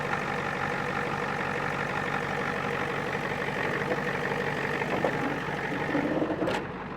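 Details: 1989 Ford F250 7.3 IDI diesel truck idling after a battery change (it previously wouldn't start without a jump): steady, even diesel clatter with no misses or surging, a healthy, settled normal idle.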